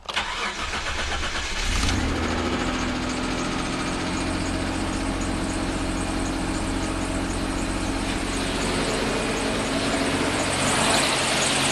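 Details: Mitsubishi, cold start after sitting 3 weeks at about 8°C, after fixing fuel pressure loss that had caused 3-second cranks and a rough idle; short crank, catches within about two seconds, steady even cold idle, healthy start.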